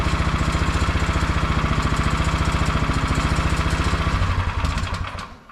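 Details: MTD Yard Machine 22-inch snowblower, 179 cc engine after drilling out the carburettor main jet: steady even idle with no surging, then spins down at shutoff; running healthy.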